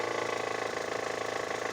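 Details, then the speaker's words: Hover H5 petrol (Mitsubishi engine), 109,000 km, 4,000 km after timing belt kit replacement: fast even knocking at idle that grows with revs and fades after 2000 rpm; hydraulic timing belt tensioner found failed, collapsing under hand pressure. "будет ещё ну такой ещё дополнительный неприятный звук такой знаете ырка что ли сначала стучащий звук на холостых оборотах и при наборе сначала будет усиливаться"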